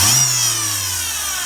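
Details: Citroën C4 1.6 16v idling with a high thin squeal over the engine from a worn accessory-belt pulley bearing, before timing belt and poly-V belt replacement.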